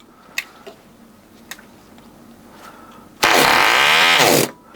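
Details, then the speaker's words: 1980 Cox Babe Bee .049 nitro glow model airplane engine, first start after 46 years, spring starter: a few faint pops, then catches with a loud high-pitched scream about a second; slightly flooded with excess fuel. "Because there's a little too much fuel inside, of course, look,"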